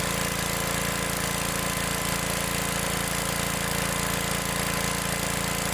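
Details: Old Gravely tractor single-cylinder engine after adjustment set with feeler gauge, started on choke; steady even thumping, no misses, runs cleanly: normal running.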